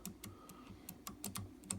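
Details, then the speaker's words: RC car steering servo removed after it shook in certain positions, rocked by hand in a vise; irregular light plastic clicks from worn gears with about 20 thousandths of an inch of play, excessive backlash. "In fact, oh wait, this is the really bad one. I can feel it and I can see it on there."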